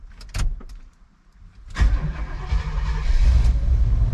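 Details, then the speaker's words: 1994 Chevy 3500 HD tow truck, big block, long parked: a brief quiet spell, then the engine catches cleanly and settles into a strong, steady low rumble; normal start. "It's alive!"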